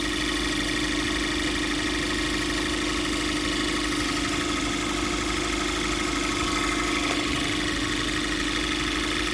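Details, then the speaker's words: 2014 Cadillac ATS direct-injection turbo after a new vacuum pump, which fixed a rough idle and loud ticking: a steady, even idle where high-pressure injectors are still audible. Normal idle. "And it runs really smooth now. Just, you know, like what normal would be like normally. There's no rough idle"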